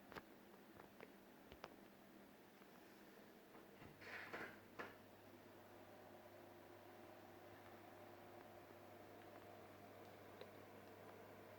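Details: Fluval FX6 canister filter running quietly after foam was installed underneath to eliminate vibration: faint steady low pump hum with no rattle or buzzing; normal quiet running.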